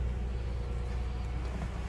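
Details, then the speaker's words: Lexus RX330 (2006–2011) after replacing the screwed-in 140 amp fuse, which had likely blown from jump-start cables reversed and stopped it starting; jump-started on a low battery: steady, even low idle with no misses, gears shift fine. "let's put the key in car starts switches his gears everything seems to"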